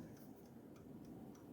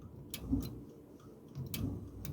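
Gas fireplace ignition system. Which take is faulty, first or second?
first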